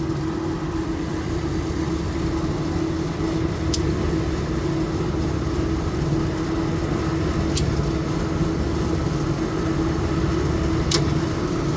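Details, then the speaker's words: HVAC unit after compressor replacement, panels on, condenser fan motors running and all compressors started including the big one. A constant low hum with a steady mid tone and a few sharp clicks. It runs normally, with cold suction and hot discharge. "Here comes the big one. Sounded like it started. And yes, we are running."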